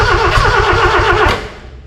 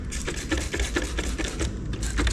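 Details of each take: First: Austin 7 engine in a rat rod, after 15+ years sitting, carburettors uncleaned, hot-wired to the coil: starter cranks with a quick even chug, faintly catching on a few strokes then dying, wanting to run. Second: Austin 7 rat rod engine after 15+ years sitting, timing reset, not yet on its own fuel system: short cranking bursts, then it catches and fires loudly for a couple of seconds before dying, close to running; starter cable getting hot.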